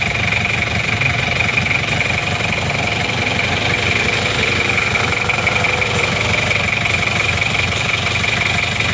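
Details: Isuzu Panther Miyabi diesel after engine overhaul, hot, steady even idle with a crisp clatter and no misses; no smoke from the oil filler cap or exhaust; normal warm diesel idle.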